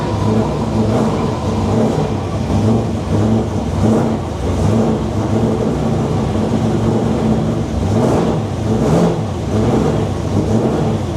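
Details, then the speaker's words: Freshly built Corolla engine, dry sump, first start without supercharger or front end to check health: fires and revs in several blips then settles, smooth pulses, no knocking; engine healthy, dry sump working. "As you saw last night, we started it with no supercharger and no front end just to make sure the engine was healthy and the dry sump was working how it should be."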